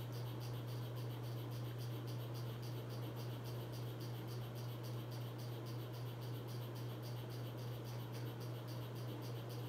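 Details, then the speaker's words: 42-inch Hampton Bay Landmark III Plus ceiling fan, installed in 2011 in a guest-house laundry room, on high speed: a quiet, steady motor hum with soft rhythmic ticking at three to four per second; it wobbles and is noisy but moves a lot of air. "all right here goes hi this is both it's wobbly and it's loud of speed pushes a lot of air though I will give it that but other than that it's just not a good fan"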